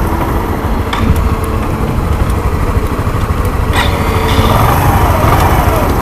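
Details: Intruder 125 motorcycle that sat nearly a month and wouldn't start: small single runs rough and uneven with stumbling beats and pops, misfiring; owner suspects gasoline damage and a dirty carburetor needing cleaning, not confirmed.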